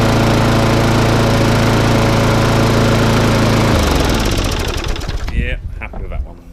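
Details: Classic Briggs & Stratton 3.5 hp mower engine, started after three primer pumps, runs steady and even then is shut off; the starting issue was just bad fuel in the tank, now running healthy.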